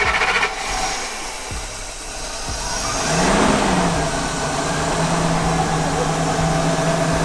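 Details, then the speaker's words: 2000 Ford F53 Class A RV chassis with V10, after a fuel pump with no power at its harness was fixed: the engine catches, settles, and its note climbs smoothly as it pulls away with no misses or knocks. Now running normally. "a bunch of little issues but effectively now fuel pump is working right should be oem fuel pump"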